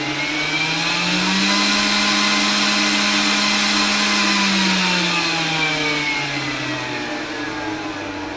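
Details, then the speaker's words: 12-volt 3-inch fan on a new inexpensive variable-speed controller, turned down to an acceptable overnight noise level: steady whir whose hum drops lower midway, then stays smooth; normal fan running at reduced speed. "So when I drop it down to where it's at a noise level that I think is acceptable for me, you know, because this is going to run like overnight when we're at cold overnight locations."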